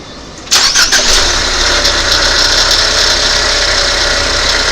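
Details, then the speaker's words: 2019 Ford Fusion 2.0 EcoBoost after startup, idling with busy rattly hiss and fast irregular clatter from the alternator, before replacement; belt removal next to confirm. "Hopefully you can hear that rattling. Doesn't sound so good, does it?"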